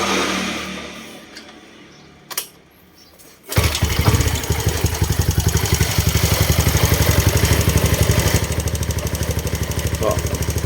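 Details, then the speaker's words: Honda Wave 125 (Dream 125) engine after replacing the weak-springed cam chain tensioner that caused loud clatter: starts and settles into an even idle, quieter, with only a slight rocker/valve tick. "เงียบขึ้นนะครับมีแค่เสียงไอ้กระเดื่องวาลวเล็กน้อยนะครับ"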